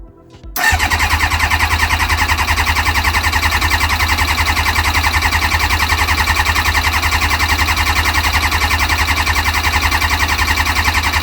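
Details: Kawasaki ZX-6R carbureted motorcycle, first start attempt after 10 years stored and carbs cleaned, with choke, fuel pump running while cranking: long even starter churn about 3.5 beats a second for over ten seconds without firing; fuel later found dripping.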